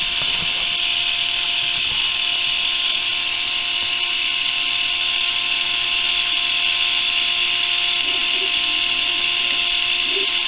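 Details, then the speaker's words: Fully charged Philips cordless rechargeable shaver, only 1.25 V at the motor: a thin, steady high whirr with no bite. The motor spins too slowly from low supply voltage; doubling the voltage should double the rpm. "1.25 volts not nearly enough needs to be increased twice the voltage will be twice the speed that you're hearing now and that's what i'm looking for"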